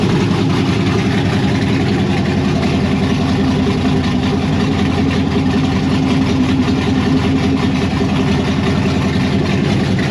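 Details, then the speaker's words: 1992 Firebird with LS swap and Holley Terminator X, first start outdoors: loud deep V8 idle with uneven lumpy pulse, chopping; thermostat stuck, cause not found. "That was a ton of work, but I'm excited. It runs, you saw it chopping."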